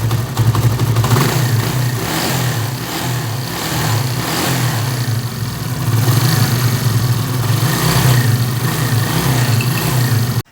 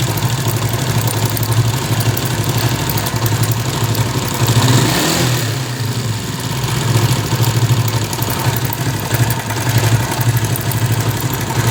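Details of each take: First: 70cc chain-drive bike after timing chain, tensioner and spring replacement: small single putters evenly at idle and light revs, only a faint upper-end tick left; timing chain noise gone. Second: 70cc bike, about a 2015 model, idling with a fast, loose metallic rattle from the timing chain; repeated chain changes didn't stop it, traced to a worn tensioner.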